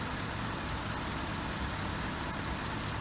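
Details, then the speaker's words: BMW E64 650i 4.8L V8 after PCV valve replacement for exhaust smoke: smooth, quiet, even idle with light, fast valve-train ticking on top, which is normal on these motors; healthy engine. "It's running so quiet now you can actually hear the valve train running, which is pretty normal on these motors. You can hear the valves clicking."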